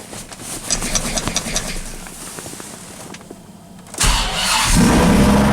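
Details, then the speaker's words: 2004 Dodge Ram SRT-10 with owner-built turbo kit, first start after sitting about five months: uneven cranking then catches into a rough lumpy idle, warning lights on; owner thinks it runs lean and is misfiring from storage, left idling to clear. "go damn she's lean sitting so long we got a bunch of lights on feels like it's misfiring"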